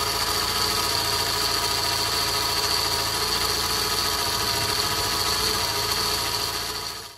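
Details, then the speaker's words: Abarth 500 before auxiliary serpentine belt and tensioner replacement, making a loud whining sound: constant high-pitched whine over a rough raspy engine hum, worn auxiliary belt or slack tensioner. "believe you me that was very very different before it was making a hell of a whining sound so that is a massive difference"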